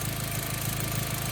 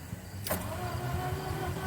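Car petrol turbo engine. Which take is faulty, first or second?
second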